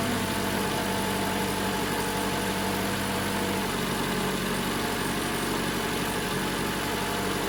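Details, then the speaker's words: 2017 Toyota RAV4 after new spark plugs installed: steady, even idle with a smooth hum, no misses, stumbles or ticking; running smooth, normal idle. "Running smooth. There you go. That's all there is to it."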